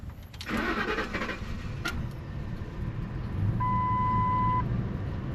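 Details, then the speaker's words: Truck towed home not running, previously had a blown fuse: starter cranks steadily but engine never catches, only a dash chime; sounds fuel-related, pressure unchecked; fuel pump driver module offline. "so it definitely sounds like fuel to me I can't check the fuel pressure"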